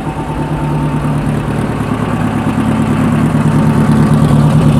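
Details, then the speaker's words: Idle after installing a valve spring shim in a Type 4 engine head (exhaust valve clearance 0.008 in); the earlier clock-like clack from the head is gone, leaving a smooth, even rumble at about 800–850 rpm. Normal idle. "I hear no clack that is a good sign okay rpms lot 800 850 somewhere in there"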